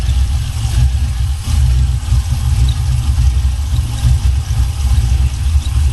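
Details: 1979 Buick Regal with a swapped LS 6.0 V8 and new exhaust: choppy, loping low rumble with uneven pulse at idle, typical lumpy big aftermarket cam sound, nothing wrong.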